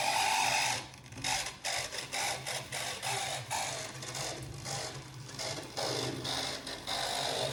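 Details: Vintage Hornby 00 InterCity 125 model train, motor and pickup wheels just cleaned, first run: motor whirs unevenly with thin high squeaks over it; owner says he knows the cause, unstated, but it works.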